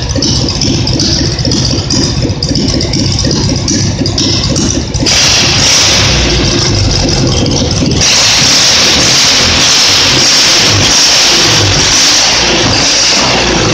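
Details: Simplicity tractor twin-cylinder engine, reassembled after earlier popping and misfiring when revved: it runs steadily and picks up cleanly in two rev steps with no missing or popping. It is now healthy; the owner guesses deposits in a cylinder burned out.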